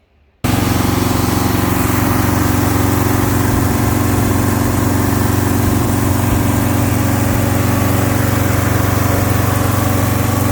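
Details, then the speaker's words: 1971 Alfa Romeo 1750 GTV with manual transmission, freshly started from cold: it catches at once and settles into a smooth, quick idle with no misses; the idle is high because the engine is cold and may need adjusting. "it's running relatively smooth idle was a little bit high because the engine was cold but uh it it will need to be maybe adjusted"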